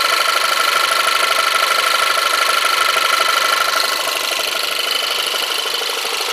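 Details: Audi TT 1.8 TFSI at start-up and idle: an even idle with a thin, steady high whistle on top that fades after a few seconds. The owner heard it on the day of purchase, is unsure of the source, and fears engine damage.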